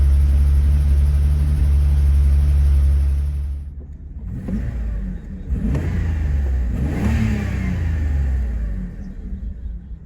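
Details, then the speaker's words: 1990 BMW 750iL (E32): deep, even multi-cylinder hum with a few throttle blips and no misses; the exhaust note is noticeably smoother than before and it now seems to run evenly on all cylinders, a normal idle. "nice pretty smooth so far the exhaust note is actually noticeably smoother uh i mean the tone was the same before but we kind of put not like it was missing but i just i truly don't think it was running equally across all cylinders and it really sounds like it is"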